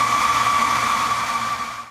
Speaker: Okay, I hear a noise. All right, sounds like it's doing something there. Not sure if it's good things, but something is definitely happening.